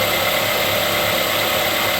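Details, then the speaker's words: 2008 Ford Escape 2.3L idling after tensioner, idler and serpentine belt replacement: even hum with a quiet accessory drive and no chirp or squeal. The earlier squeak is gone; the worn tensioner is believed to have been the cause. "Alright, so we got it cranked up and running here, just checking it out. And I don't hear any squeaking."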